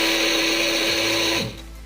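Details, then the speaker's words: Old Philips hand mixer running very slowly with a harsh raspy hiss over a low hum; dry, very dirty bushing suspected. "dan putarannya itu Pelan sekali ya suaranya kasar kemungkinan ini bosingnya ya"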